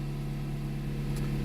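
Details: 2010 Jeep Compass after repairing a no-start caused by a corroded ASD relay box: smooth, steady idle with an even low hum and no misses, knocks or stumbles.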